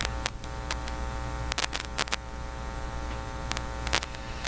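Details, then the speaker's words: Philips PH202 vacuum tube console record player, phono cable fed to soundboard line input with ground wire unconnected: steady low hum with buzzy edge and crackles; cable shield found never attached to the phono plug, leaving ground open. "It actually looks like the ground has separated. It doesn't look like it was actually ever attached."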